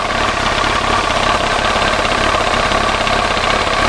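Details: 1999 Yamaha R1 motorcycle started after replacing fuel lines and fuel filter, checking for leaks: loud, even whirr with no misses, surges or knocks; engine idling smoothly.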